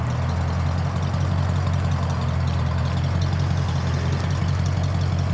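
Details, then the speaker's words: Ford F150 truck engine idling after a vacuum advance was fitted; deep, even, low burble with no misses or knocks, running much happier than before. "there you go man it's much happier with that vacuum advance"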